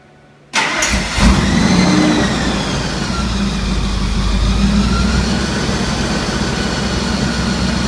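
Engine fires and settles to a steady idle with a faint uneven pulsing underneath; an odd noise present but its cause unclear.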